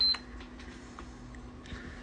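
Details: PS5 that kept turning on and shutting off, after disconnecting the LED-bar flex cable that was pinched and shorting: one short high beep at power-on, then stays on with no shutdown; normal startup.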